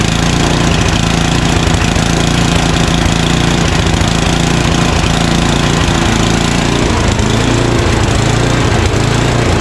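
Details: Craftsman 29" snow blower, 9HP Tecumseh single, long-stored, first start on choke at full throttle: loud chatter wavering in speed instead of steady; surging, suspected dirty carburetor, later found blocked pilot jet.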